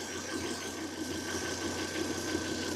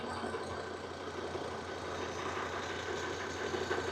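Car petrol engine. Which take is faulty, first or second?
first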